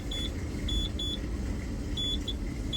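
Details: Keyline 303 key cutting machine during advanced calibration, tracer and blade touching the key: short high beeps in uneven pairs over low machine rumble, normal contact signal, though beeping not consistent.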